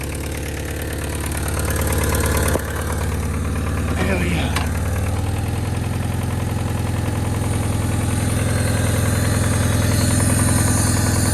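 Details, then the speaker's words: 1999 Honda Civic EX, with no catalytic converter, at a steady idle; a faint, even knock at about two or three per second under the exhaust note that the owner calls rod knock. "still has a little rodnock but can't do nothing about it just have to leave it the way it is"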